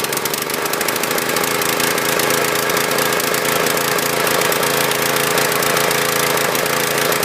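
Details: Husqvarna PW3200 pressure washer, Briggs & Stratton CR950 208cc single, flood-submerged in Hurricane Ian, bad gas and milky oil drained, pump oil not yet done: loud, uneven, rattly stutter about four per second; rough running, possibly water contamination.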